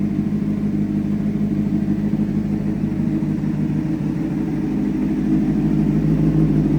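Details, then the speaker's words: Rebuilt 2004 Honda CBR600RR four-cylinder with 10,882 miles, first run after an engine rebuild, at about 160°: runs smooth and even with a low rumble that rises slightly, no knocks or misfires; still smoking a little, but running healthy. "Beautiful, beautiful bike. Sounds like it's running healthy. I can't complain."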